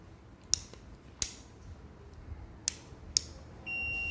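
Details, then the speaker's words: Two-door refrigerator defrost timer multimeter test: a few sharp probe clicks, then a steady high continuity tone on terminals 3-4. When the timer is turned, the tone should stop and terminal 2 should then connect if the timer is good. "Hai itu ada suaranya ya Hai Nah nanti suara ini mati kita rubah Hai atau kita pindahin sakit tempat ke soket2 harusnya nyambung kalau timer itu layak pakai"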